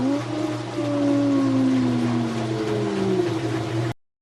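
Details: Kenmore/Whirlpool washer after motor coupler (285753A) replacement: motor hums steadily as drum winds up, tones sliding smoothly with no grinding or slipping; spin now working normally.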